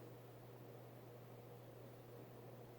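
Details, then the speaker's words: Vintage late-70s/early-80s Hunter Robbins & Myers Original 52" ceiling fan, model 22274, 2.5 amp oil-bath pancake motor, freshly oiled, on high: smooth steady airy whoosh, low even hum, no ticks or rubbing; fast, quiet, slight wobble, normal. "so performance wise it runs pretty fast and like all originals it is a very good performer you know standard original air movement"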